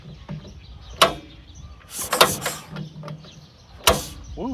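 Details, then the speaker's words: 1950s Lincoln gas welder with a hand-cranked Wisconsin twin-cylinder engine, said to have last run about ten years ago: while cranking, sharp irregular pops cough back through the intake and it kicks back hard; a stuck valve or off magneto timing is suspected. "Another backfire out the intake. I think our mag's off. better. We got a stuck valve. It shouldn't be backfiring out the intake like that."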